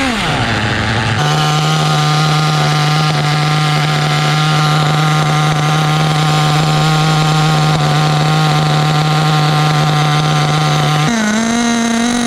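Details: Restored 2006 OFNA Mutillator nitro RC buggy on first run, idle being tuned: loud buzzy engine holding a steady high pitch after a brief blip, rough blubbery tone; mixture too rich.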